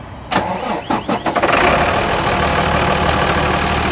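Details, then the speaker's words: 2004 Sterling semi truck, Mercedes MB900 diesel, no-start: 12 volts jumped to the starter lug, brief cranking bursts then engine catches to a loud steady idle, showing the starter solenoid is faulty. "if it starts that solenoid is no good"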